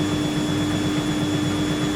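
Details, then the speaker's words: Siemens IQ300 WD14H320GB/02 washer dryer (7kg wash, 1400rpm), Cottons 90ºC, spin ramping up to about 400 RPM: steady hum with light rhythmic knock each turn; owner thinks the wiring loom mounted under the drum rattles, and says nothing is wrong. "What I think knocks as well, there's a wiring loom under it's mounted under the drum, and I think that rattles a bit."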